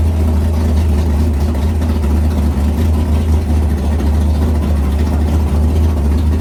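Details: 500ci big block Mopar in a 1969 Barracuda, first fire-up in the car: deep, even V8 burble at steady idle with no misses, knocks or ticks; carburettor float noted as set high. Normal idle.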